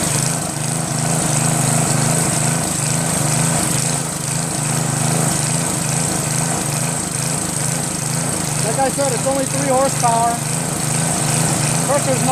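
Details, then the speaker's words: Northern Hydraulics pressure washer, Briggs 3.5 hp engine with primerless vacuum fuel reservoir, unused 8 years; after starter fluid start and fixing hose, wand and clogged rusted tip, single-cylinder engine chugs steadily under spray load, no knocks; runs fine, low psi. "so now it's working their mic starts up great I think when you want to start it up in the beginning since there's no primer that kind of starts up good"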